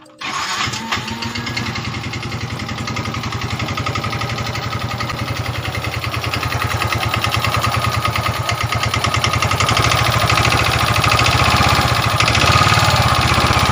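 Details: Yamaha Mio 125 scooter engine, recently rebuilt with a new cylinder block and piston set, yet still smoking and using nearly all its oil within a week: it runs with a harsh, clattery, uneven beat that grows louder with revs. Worn piston/cylinder suspected.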